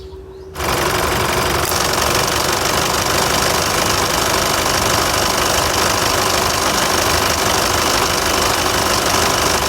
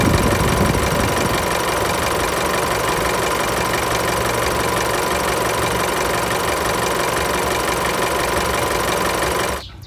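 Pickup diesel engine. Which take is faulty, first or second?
first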